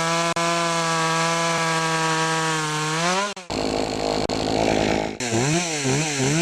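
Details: Poulan Pro chainsaw after fixing a clogged air filter and sharpening the chain: clean steady high scream, revs climb smoothly, bogs evenly into the cut and recovers; normal running.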